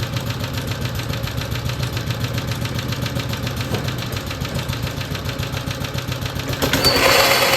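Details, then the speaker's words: BSA/Villiers 119cc sloper single-cylinder two-stroke with centrifugal clutch, after carburettor/engine service: slow even putter with breather sound and heavy flywheel rhythm, brief rev at end; healthy idle. "You can hear that lovely little breather sound. There's not many engines that have that sort of rather nice sound to it. That lovely heavy flywheel."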